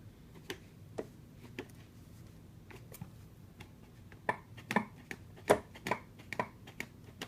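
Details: Sharp, irregular clicks from a Monorover foot pad, sparse at first then faster and louder; no clicking when the pad is pushed down, and the owner thinks they may have caused it; cause unknown.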